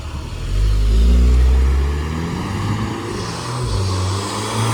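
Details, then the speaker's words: 2017 VW Golf R after replacing the upstream O2 sensor that caused power loss and limp mode, driving: strong smooth pull with rising clean exhaust note, no stumble or hesitation; normal acceleration, problem fixed. "Cars drives amazing, guys. Guys, we got this problem fixed."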